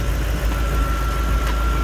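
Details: Lexus IS200 with 1UZ-FE V8 swap, new Dash/AN6 fuel pump assembly, Walbro 450L/h E85 pump, flex fuel sensor and pressure regulator: deep, even V8 idle with steady rumble, no misses or knocks; fuel pressure just under 40 PSI; normal idle.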